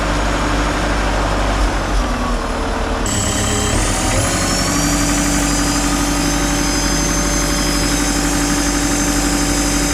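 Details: Takeuchi TL150 track loader, diesel reinstalled after rebuild, first start on a temporary fuel pump wire: catches after a short crank and settles into a steady, even idle with a faint hum; runs normally.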